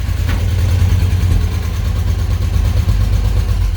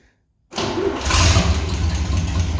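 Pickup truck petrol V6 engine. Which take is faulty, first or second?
second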